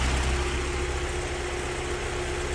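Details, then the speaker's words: Mk1 Vauxhall Cavalier whose crank sensor wire rubbed and shorted on the rocker box, causing hunting; the wire was taped and rerouted outside the head pending a new sensor: steady, even idle with a constant low hum, no hunting. Idling smoothly. "it's running all right now."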